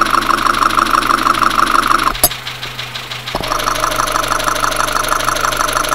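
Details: Dacia Sandero, Renault D4F 1.2 petrol engine (as in Clio), at idle, recorded through a recorder and headphones: a steady rapid heavy internal knock, about three per second. Low oil and a possible spun bearing are suspected, not confirmed.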